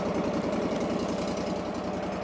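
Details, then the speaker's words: Engine with little fuel in the tank: choppy idle with an uneven thumping beat and slight misses; dies when given throttle. Owner suspects dead, stale gas; fix planned is fresh fuel. "So, it'll sit there and idle. As soon as I try to give it a little fuel, it kills it. I really think that it's got some dead gas in it."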